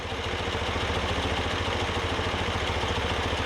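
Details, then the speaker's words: BMW R90 boxer twin after Harmonizer carb balancing, idle screws raised equally on both carbs: steady idle right at 800 rpm, dancing around a little, even lope, no misses; no vacuum leaks suspected, normal idle. "we're idling right at 800 rpm it just dances around a little bit"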